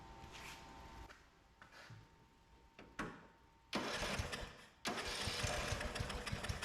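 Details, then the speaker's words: 2004 Craftsman (Murray-built) 30-inch mid-engine lawnmower, free curbside find, first run after the kill-system coil ground was disabled for no spark; cranks, catches, runs loud and choppy; owner suspects carburettor issues, plans carb cleaning. "all right well it started it ran doesn't sound too clanky um it's got some cover air issues we gotta sort through"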